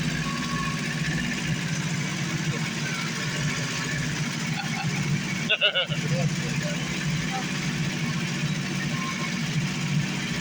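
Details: 1980 Chevette barn find, inline four-cylinder GM engine, sat about a year, running on gas poured into the carburetor: steady, even low idle with no misses or knocks; normal idle.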